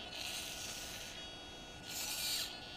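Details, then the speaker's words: DJI Phantom 2 Vision stock camera pitch gimbal servo makes two shrill, buzzy whirring bursts; noisy, slow servo whine, common on these, compared with a quiet Hitec HS-5055MG replacement. "Hear that servo whine? Yeah, they're real common for that."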